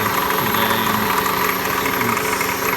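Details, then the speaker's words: 1999 Toyota Corolla 1.8 four-cylinder idling: uneven light knock about three a second that fades when revved and stops when the steering wheel is turned; confirmed as the power steering pulley, not the bottom end. "can hear there's a really interesting noise. Almost sounds like a knock. But it's not a knock because it doesn't really get louder when the engine's revved. In fact, it almost goes away."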